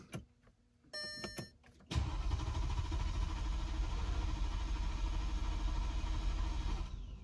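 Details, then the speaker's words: 2011 Mercedes GL550 auction SUV, first start attempt after servicing and cleaning out heavy dirt restricting its breathing: starter cranks steadily at fast even rate about five seconds, never fires; crank no start. "oh all right kind of scary it's not starting struggling"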